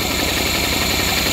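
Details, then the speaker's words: Honda 40 hp outboard that had been chugging: runs steady and revs up when carb cleaner is sprayed into the opened air intake, pointing to a carburetor fault rather than spark; the carburetors are to be pulled and cleaned. "okay yeah it's running up I definitely have a carburetor problem so there you go that's an easy way to tell if you got a carburetor problem or if you have a problem with your spark"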